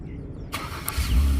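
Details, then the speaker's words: Acura (MDX/RLX/TLX/RDX) after remote start programming with an Autel scan tool: brief quiet, then a quick crank and the engine catches cleanly into a steady low idle, green light on; remote start works normally. "remote starts. Green light means it's working. It's good to go. You hear the car running."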